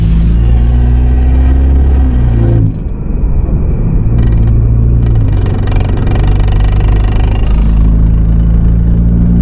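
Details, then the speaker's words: 2016 BMW 428i xDrive F32 at higher mileage: low droning rumble with faint rubbing hum that shifts as the car pulls away, heard near the glove box; broken plastic clip lets the brake/park cable line rub the drive shaft, fixed by replacing the clip. "there's a clip that holds your brake line it's right over your drive shaft and when that clip gets old and it weathers it breaks and then your brake lines start to rub against your drive shaft which give you the noise that sounds like this"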